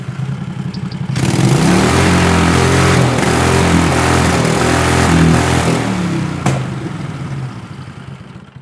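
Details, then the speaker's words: Racing lawn mower with 20 HP Tecumseh twin and dual 34mm PVK carburetors, rear lifted, full-throttle test: loud revving with speed swelling and sagging unevenly, hunting/searchy as at 3/4 throttle; carburetor tuning issue, cause unclear. "3/4 throttle where it sounded a little bit searchy. Searchy means that it's go the RPM goes a little bit up and down like it's trying to idle or find the spot, but it's never quite getting there."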